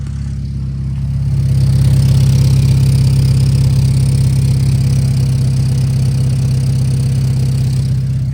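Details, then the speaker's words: Acura RSX Type S after new header install (gasket was missing): steady petrol idle with low, regular puffing about three pulses a second, exhaust leaking at the two-bolt pipe joint underneath; new gasket planned. "coming from where that that pipe is right underneath there I just showed you guys the uh where the two bolts are but that's where it's leaking from"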